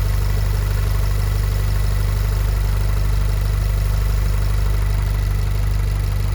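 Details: VW Golf 7R with Racingline stage 3 IS38 hybrid turbo, VIS HPFP and decat exhaust, idling after turbo swap and coolant refill: smooth, even low idle with a steady pulse and no ticks, knocks or rattles; the engine is running healthy.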